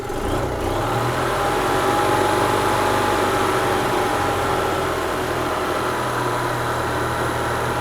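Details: 2004 EZGO TXT gas golf cart during full service: steady even low-pitched putter at idle, no knocks or misses, while charging system holds about 14.5 volts; healthy idle, charging normal.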